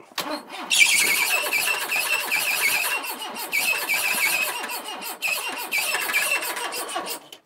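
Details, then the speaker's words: 1980s MG/Austin Rover turbo barn-find car first start after long storage: loud high squeal in bursts over cranking and catching engine, belt slipping on seized power steering pulley that won't turn. "that squeak is that a belt sounds like theate belt oh TR yeah wonder if it's seized something's squealing so something's slipping"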